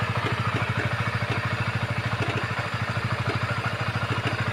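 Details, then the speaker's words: Honda CBR 150 at idle: fast, even "klutuk-klutuk" clacking about three per second over the idle; cam chain tensioner checked as the cause of the rattle. "Kita cek tensioner ini ya, suaranya klutuk-klutuk."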